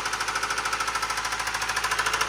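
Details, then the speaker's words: Subaru engine rod knock: the owner ran it low on oil and the bearings wore metal to metal, giving a loud, sharp metallic knock about eleven times a second over the running engine, clearly not piston slap. "your car sounds like that that's a rod knock okay now I can talk again that is a rod knock that's an engine knock"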